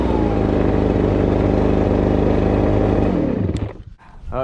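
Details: Two-stroke blower with a 42cc engine rated 510 CFM, run on fuel left from use about two months earlier; even, steady buzz for a few seconds before shutdown, no misses; normal running.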